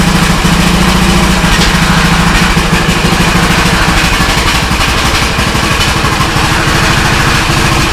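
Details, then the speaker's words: Cheap used custom-built riding lawn mower, starting cold without choke: settles into a steady, lumpy single-cylinder idle with no misses, stumbling or smoke; lumpiness is thought to come from a cam. "For this mower Told that it sounds like that this ride lawnmower has a cam on it."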